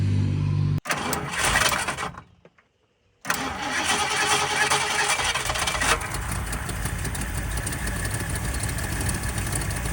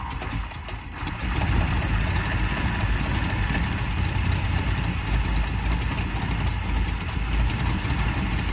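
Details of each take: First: 1979 Ford Fairmont two-door police car, cranked to see whether it will pull fuel from the tank before fresh fuel is added: the starter cranks in bursts, pauses, then cranks steadily without the engine ever firing. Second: 1979 Ford Fairmont two-door police car, first start after its carb was cleaned out and spark confirmed: quiet, then it fires within a second and settles into a deep, steady, very low idle without stumbling.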